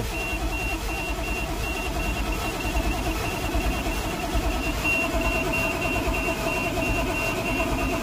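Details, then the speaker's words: 1988 GMC 7000 with naturally aspirated 8.2L Detroit diesel that died while driving; fuel filters changed, no smoke: steady starter churning with slow, uneven compression chugs, no firing or pickup, slight smell noted; crank no start. "come on baby she's not happy with sudden got a little smell here"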